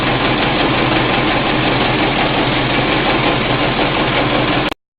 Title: Generator running slow and making a weird noise